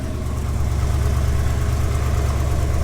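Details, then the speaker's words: GMC 2500 Vortec V8 at cold idle; steady deep even beat with no knocks or squeals, healthy; belt-like squeak, not the belts, appears only once warm. "so when it's cold it doesn't do it and sounds healthy runs good"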